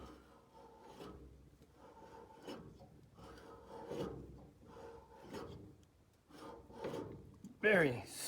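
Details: Harvey table saw, new: blade tilt handwheel stiff; dry rasping rub in bursts about every second and a half as handle turns, tilt mechanism binding. Cause suspected, not confirmed.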